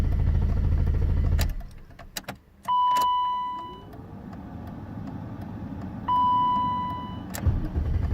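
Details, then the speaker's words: BMW E32 7 Series with six-cylinder M30 engine, hard-start problem, stalled after parking: brief fast starter churn, pause with steady warning chime, more cranking, but engine never catches. Cranks but won't start; cause being traced near the back seat wiring. "okay the car just stopped I just drove into the parking spot and the car just stopped let's see what happens when I turn on the ignition and tried you can't go it seemed as before"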